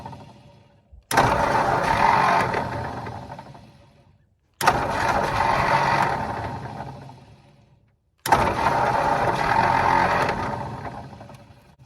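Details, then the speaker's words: 1951/1952 Ford flathead tow truck after carburetor rebuild: three long cranking bursts fade out, engine never catches; starter suspected of acting up and kicking out. "all right so there comes a time when you just have to stop it's been three days on this thing we've got it 99 of the way there and the starter kicked out"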